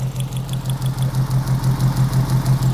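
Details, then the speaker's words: 1995 Mitsubishi Libero, 4G15 engine, idling with a plug boot pulled for a test-light check: the idle pulses unevenly, about six times a second, with a lumpy, stumbling beat. Weak or no spark is coming out of the distributor and causing loss of power. Distributor replacement needed. "So I'm gonna inform the customer that he have to get a distributor, right? Because he's getting basically no spark or weak spark coming out of this distributor, right?"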